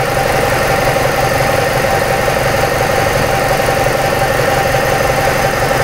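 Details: 2006 Ford Escape 2.3 four-cylinder, misfire after visits to several shops, exhaust cam found two to three teeth out of time: rough, uneven idle with a loose irregular beat of about three pulses a second; misfire from retarded exhaust cam timing.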